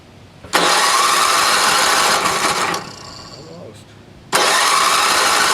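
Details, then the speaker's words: NOMA 8hp snowblower, choke on, primer possibly not working, little gas in tank; two long electric-start cranking bursts with no firing. Cranks but won't start, fuel starvation; carbon seen on piston, some exhaust smoke. "primer doesn't really sound like it's working"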